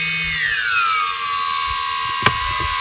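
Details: DJI Phantom 3S after tree crash and compass repair, ground control checks: smooth even high motor whine sliding down and settling as throttle eases, no rattle or scraping; motors healthy, test passed.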